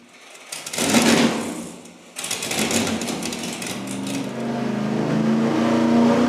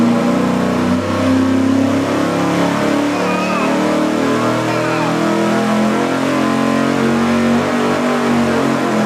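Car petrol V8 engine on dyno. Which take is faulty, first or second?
first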